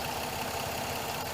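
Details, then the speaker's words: 2007 Pontiac G6 at idle after replacing the leaking high-pressure power steering hose and bleeding air from the fluid: smooth steady idle with no pump whine or groan; pump running quiet and healthy. "you can't hear the pump so it's good to go"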